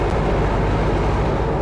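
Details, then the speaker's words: Viking 130 liquid-cooled aircraft engine with propeller, warming up while burping coolant system: deep steady even drone at about 1430 rpm, no misses or knocks; idling smoothly and healthy. "this airplane that's about 13 uh the 1430 RPM there"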